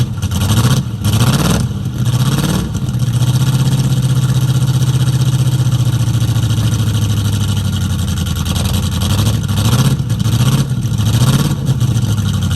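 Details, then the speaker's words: 1969 Ford Mustang V8 that sat for 15 years, now running; revs and idles unevenly with a stumbling, lumpy misfire, and new spark plugs and plug wires are suspected as the fix. "does have a definite mess I think some new plugs and plug wires will fix that"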